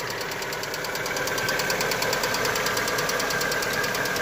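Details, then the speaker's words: Lada Vesta just after a cold start, oil topped up by a litre after about 9,000 km: fast, light, steady ticking about three per second from noisy hydraulic lifters, which soon settle. "вот я запустил ее сейчас послушаем все вместе так но это компенсаторы шумят"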